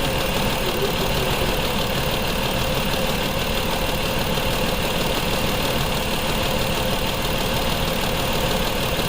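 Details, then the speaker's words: 2004 Mazda 6 3.0L V6 with codes P0304 and P2227: rough, loping idle at about three pulses a second because cylinder 4 is dead. Its injector tests open circuit at 0 V instead of 12 V, while the PCM's control is good. "And we only have 0. Because the injector is open circuit."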